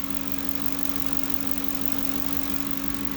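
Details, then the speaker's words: At idle: steady low hum over smooth idle, louder when accelerating; owner suspected vacuum leak but brake cleaner test found none, throttle body and MAF cleaned, hum persists; cause unknown. "first I thought it was a vacuum leak because when I accelerate the the noise gets louder"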